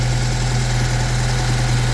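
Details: 1997 Honda Civic, 220,000 miles, burns oil and had only half a quart left, after an oil change to fix a rod knock, check engine light on, long crank to start: a smooth, steady idle with no knocking.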